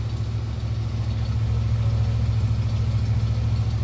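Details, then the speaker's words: 1971 Cadillac Deville 472 V8, warming up after a new gas tank was fitted, heard at the exhaust with a new resonator. Smooth, steady, quiet low burble on high idle, with no rattles or drone; normal high idle. "Now keep in mind that's on high idle. All right, we knocked it down, got it off the high idle, so that's probably around 1200, 1400 RPM. Not too bad."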